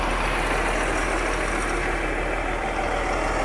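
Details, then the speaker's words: Diesel dump truck with a 10-speed transmission, inspected before purchase: fires right up into a steady, even idle rumble with no knocks or misses. Normal idle. "Oh yeah, that thing fires"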